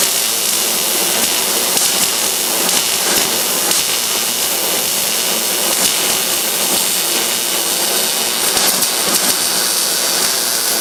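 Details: MIG welding a butt joint on roll cage tubing: steady, even sizzling crackle with no pops or sputter, a well-tuned weld. The outside bead looked good, and penetration was then checked through an inspection hole.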